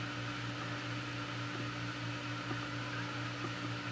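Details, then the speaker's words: Adventuridge (Aldi) 12/120 V Peltier iceless electric cooler, control turned past middle: steady low hum with faint soft clicks every second or so as the fan stalls and retries before spinning up; fan repeatedly failing to start. "and usually about right there after a number of tries it'll actually get itself going"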